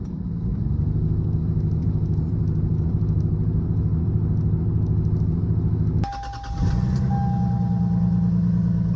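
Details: 28-year-old Lexus GS300 with a misfire that developed before a blizzard, cold start: low lumpy idle with uneven stumbling beat; rough idle, misfiring cylinder.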